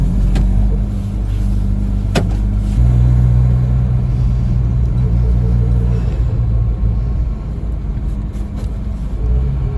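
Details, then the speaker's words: Ford Capri 2.0 running after an inlet manifold refit and a hard start. A low, lumpy idle with an uneven beat and occasional stumbles: rough running. The owner suspects the ignition side; the cause is unconfirmed. "it still seems to run a little bit rough so still think it's probably worth looking into the um ignition site"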